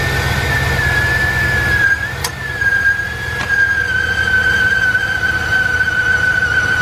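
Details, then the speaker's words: 2000 Dodge Ram Van B1500 with code P0505 (idle control system malfunction), microphone in front of the van at idle: a steady high whistle of a vacuum leak sucking air hard. The noise was gone once the part was hooked back up. "remember when I had it running before you heard in the front we heard it vacuum sucking in like crazy"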